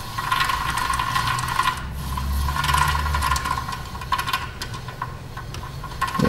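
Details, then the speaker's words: 2014 Toyota Prius rear wheel hub spun by hand, brakes inspected for loud rear grinding and ABS/Trac light: gritty uneven rumble and rattle; the bearing is very rusty, its rear cage debris may jam the speed sensor. "these Toyotas use a cage on the back side of the bearing you see the bearings are super Rusty and a lot of times Rus and junk inside that cage breaks apart and that's what gets jammed up on the speed sensor"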